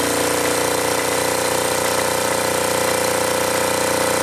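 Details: Acme Motori ADX 740 twin diesel, unrun over 10 years, after new fuel filter and reinstalled injector pumps, injectors and linkage; screaming at fixed high speed with hard even clatter, runaway at full throttle, throttle not working, linkage suspected.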